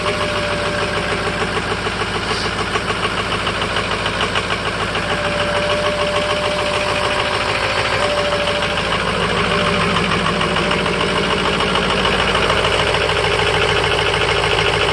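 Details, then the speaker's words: 2005 Ford F-350 6.0 Power Stroke diesel, cold start at about 35°F, idling with a loping, uneven chug about three beats a second and a clattery edge; rough cold idle, owner suspects failing injectors, also bucks in 5th. "so here's my 2005 f-350 power stroke and having an issue in comes a cold start I think I got a couple injectors on the way out"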